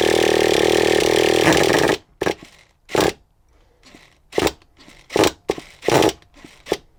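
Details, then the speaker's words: Traxxas T-Maxx 2.5 nitro RC monster truck, start attempt after long storage: about two seconds of steady starter whir with no firing, then loose clunks; engine turns over but is slightly flooded. "little bit flooded now little bit of a tip there if it ever gets flooded your car gets flooded but it's not flooded to such an extent that it won't turn over"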